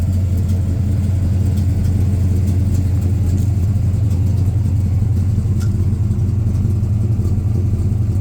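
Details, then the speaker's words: 1967 GMC Suburban, 402 Chevy big block, carburetor, new HEI, after a cold start at about 48–50°F: deep, fast, steady rumble that never settles to a slow idle; the high idle keeps sticking. "Yeah, that high idle just keeps sticking."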